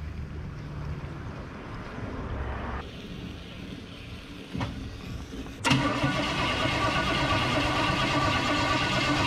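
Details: 1961 Chevrolet Parkwood wagon build, first fire-up on fresh gas after steering, power steering and brake work: starter churns a few seconds, then catches at once into a steady, even idle; healthy start.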